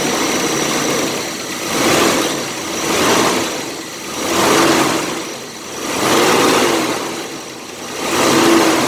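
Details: 1985 Chevy S10 2.8 V6 after replacing a fan clutch that wasn't engaging; even idle with soft fan rush swelling and fading, no knocks or squeals. Normal idle, repair working.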